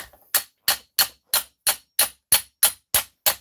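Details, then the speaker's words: Hammering a bent Arrma Outcast 8S RC chassis plate over a dolly: crisp, bright ringing blows about three a second, tone changing as the spot gets flat. "hear the tone change because it's getting flat that is a flat point right there where i'm basically it's almost as if i'm hitting the actual dolly itself"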